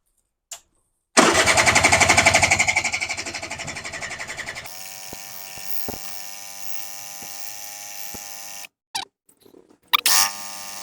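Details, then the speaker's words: Suzuki LT80 80cc two-stroke petrol quad with vacuum fuel tap set to on: starter churns a few seconds with no firing, fuel pipe off at carburettor shows fuel only drawn while cranking; cranks but no start, fuel not reaching carburettor. "so now if Lee then turns the engine over now you see as it's turning over it's only asking for the fuel"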